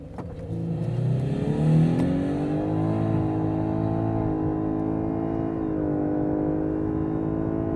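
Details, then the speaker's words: Lexus LS500h, 3.5-liter V6 petrol hybrid, 360 hp combined, full-throttle launch in Sport+ mode: engine climbs through stepped rises with a thin whine from the four-speed gearbox plus CVT giving ten steps; normal hybrid drivetrain whine. "did you hear that sounded a bit odd didn't heal a bit whiny when you rev it out and the gear changes a bizarre and that's because this car has a mixture of a normal year box and a CVT"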